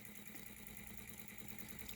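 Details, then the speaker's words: 3D-printed Newman motor on its first run with a new commutator and graphite brush, supply at 12.9 V sagging to 12.2 V: faint, steady whirring hum with an even high buzz and no knocks; running smoothly, normal. "she's flying now of course we're over 12 volts we're at 12.9 there there's 12.2 still running really good"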